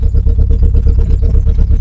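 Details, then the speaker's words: Renault Clio 1.8 16v Mk1, off the road since 2017 on old fuel: raw, booming idle with steady rapid low pulses and a sharp bark, no exhaust system fitted; runs but missing slightly. "She's idling quite nice. Unfortunately, it's a bit loud because there's no exhaust system on it."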